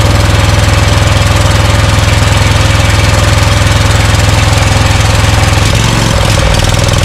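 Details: Scag Cheetah with Briggs & Stratton Intek V-twin from a Craftsman runs lumpy, misfiring on one cylinder; dirt found past a poor air filter; carb spray on left side helps.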